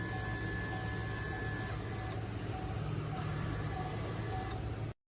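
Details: Wiper motor bench-tested on the switch after reinstalling the linkage arm and motor, following a grinding, not-parking fault: steady motor hum with a soft sweep cycling about every two seconds, no grinding, clean stop; normal operation.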